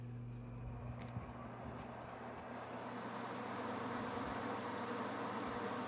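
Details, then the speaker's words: Frigidaire 5,000 BTU window AC running on low cool, heard from the sitting spot: steady low hum with soft even fan rush, no rattles or surging; normal running. "Now, go to step 2, and let's put this little puppy on low cool and compare the two."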